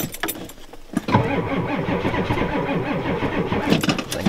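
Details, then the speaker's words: Ford F250 with 7.3 IDI diesel, cold start at 12 above zero after a glow plug cycle, with both batteries getting weak and a jump pack attached: the starter drags over slowly and laboriously and the engine never catches. Slow cranking from weak batteries. "i don't think that jump pack started though it's junk come on i think the batter's gonna go dead before i get started"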